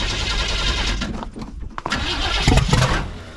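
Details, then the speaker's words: 1979 Chevrolet C10 with 350 engine, after column ignition wiring repair: engine cranks and catches with a ragged rumble, sags almost to nothing, then stumbles back unevenly and won't hold idle; starts then stalls, cause unknown. "yeah she'll crank up oh can't keep her running"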